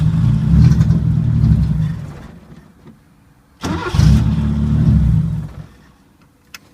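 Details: 1980 Chevy Luv, carbureted engine barely run in years, no muffler (straight pipe): two short rough uneven chugs of a couple seconds, each dying; can't settle into idle. Owner finds carburetor trashed and dirty; cause suspected, not confirmed.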